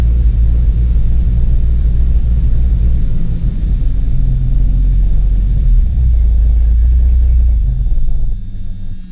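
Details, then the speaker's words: Jeep Cherokee after distributor and spark plug work, throttle floored under load: deep uneven rumble that surges and sags then fades; engine bogging, timing suspected off, later would not idle and also possibly stuck in neutral. "she sounds like she's off like like the it sounds like the timing's off anytime i try to put it under a load"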